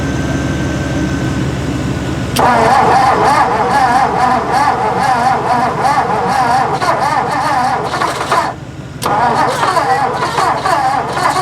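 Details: 1958/59 Ford F600 grain truck with a 330 V8, long unused: cranking catches into an uneven, lumpy run with surging revs and a stumble. Throttle is sticky and fuel overflows from the float bowl vents; stuck needle or float suspected.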